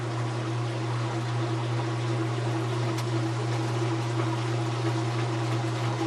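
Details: Kenmore/Whirlpool washing machine that wouldn't spin, after replacing the motor coupler (285753A): constant smooth hum with a steady low tone, no clunks or grinding; spins up evenly, normal spin after repair.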